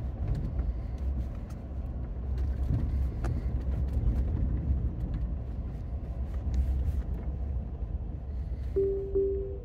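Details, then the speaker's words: Ford F-150 Lightning electric truck at about 17,900 km, pulling away in snow: low road rumble, then two quick mid-pitched dings. The chime happens once after startup, not every time, and the owner does not know what it means. "Did you hear that ding ding? What in the world? What in the world was it for? It only does it once."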